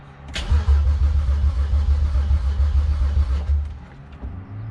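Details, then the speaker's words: BMW E46 wagon (2001 325it) with swapped N54 twin-turbo engine, first start attempt: steady starter churn about 3.5 compression beats per second, no firing, fuel pump disconnected so no fuel reaching engine. "okay i'm gonna crank it one more time it cranks but will it start all right one more time okay now i'm gonna connect the uh fuel pump and let's see if it'll prime"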